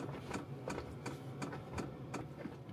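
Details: LF Bros N4 diesel heater newly fitted in a van, sub-zero cold: soft regular ticks just under three per second as the dosing pump starts up, normal; it later threw an E1 error, thought to be diesel not yet flowing through.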